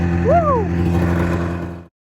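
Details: 27-year-old Arctic Cat Mountain Cat two-stroke snowmobile after being cleaned out while chasing a fuel-delivery misfire; steady, even two-stroke drone with no stumbling or misfire before it cuts out; normal running.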